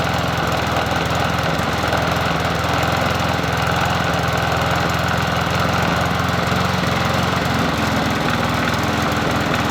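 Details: Bolens 21-inch push mower 11A-B0BL765, small single-cylinder engine, on a cool 57°F day after cleanup and spark plug reconnection: steady, even putter with no surging or stumbling. Sounds healthy.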